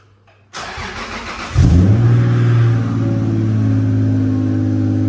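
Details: Toyota VVTi 2JZ-GTE after throttle delete conversion, warming up, target idle 650-700 rpm: engine catches and flares, then holds fast idle near 2,000 rpm that never comes down; resistance test showed failed throttle position sensor, replacement awaited.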